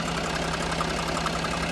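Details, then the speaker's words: Range Rover Sport at idle, owner told turbo and engine were failing: faint fluttery tick over a smooth idle from the EGR vacuum solenoid, stops when held or vacuum line disconnected; not engine knock. "The fluttery noise? That one over here. It's the EGR. The vacuum solenoid on the EGR."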